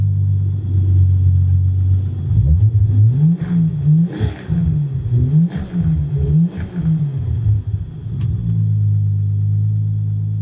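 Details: Toyota Supra JZA80 2JZ-GTE after a new knock sensor plug and cleaned spark plugs, no fault codes: revs surge unevenly, stumbling and dipping under throttle; an intermittent misfire persists, and fuel pressure reads only 15–20 psi, suspected wrong.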